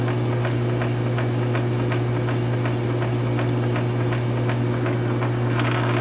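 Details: South Bend 9" lathe after Model B to Model A quick-change gearbox conversion with a 3/4" 12L14 leadscrew extension, test threading at slow speed: steady low hum, light regular gear ticking, no grinding or clunks; gearbox running normally.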